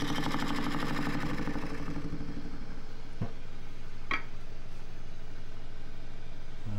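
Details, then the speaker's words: Small lathe turning green juniper natural-edge bowl blank (230x120 mm), tool cutting where grain is all over the place: rapid steady knocking about three a second over the spinning hum; tool knocking on irregular grain. "so half in spindle yard that's where the grains all over the place I can hear the"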